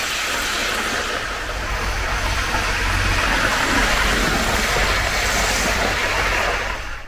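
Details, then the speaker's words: 1980s Hornby APT model train circling the track after a ringfield motor upgrade kit replaced its worn armature; a smooth, steady whirr and rail rumble with no stalling, grinding or surging. Normal running. "it's run around the track beautifully um once you've got the new motor in it's running like a Little Dream"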